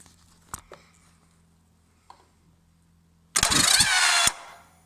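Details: 1998 Yamaha Virago XV1100 with a good bendix, new idler gear and a fully charged battery: quiet, then about a second of harsh metallic starter chatter with no firing; cranks roughly and won't start, cause unknown.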